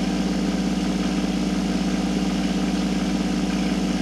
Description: The Harbor Freight tumbler made so much noise you can hardly hear me.